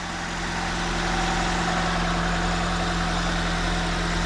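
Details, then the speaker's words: 2004 Nissan Sentra idling after replacing a bad fuel injector. Coil and spark plugs had already been replaced without fixing the shake; there were no misfire codes, only an air-fuel ratio sensor code. Steady, even idle with no misfire. Normal idle. "turned it on what do you know is smooth no more misfire our sleuth so the problem we had here was a a bad fuel injector"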